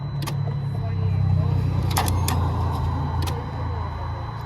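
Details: 2018 Mercedes-Benz with a seized engine awaiting engine replacement, start attempt; only a few sharp isolated clicks over a low background rumble, no cranking rhythm, the starter can't turn the seized engine.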